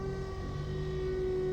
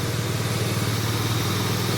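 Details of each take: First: Toyota Corolla Altis single radiator/AC condenser fan with worn motor bushings: engine normal until the AC is switched on, then a loud steady drone with a sharp jet-like whine from the fan. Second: Toyota Corolla Altis single radiator/condenser fan motor after repair of its rough noise, engine running: even low hum and smooth airy whoosh, no rasp or grinding; fan now pulls correctly and sounds healthy.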